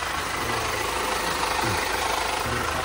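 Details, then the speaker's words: 2020 Toyota HiAce after flood water ingestion, water expelled via fuel injectors and codes cleared: steady, even, quiet idle hum, no knocking or misses; engine idling healthily. "Tahimik naman, sir, wala namang sinyalis na pagkakatok."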